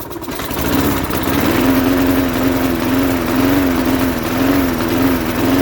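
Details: 1988 Jacobsen mower with Briggs & Stratton 3.5 hp engine, turned over with a drill since the pull start spring is broken: catches and runs rough for a few seconds on starting fluid; the carburetor is not delivering fuel and needs cleaning.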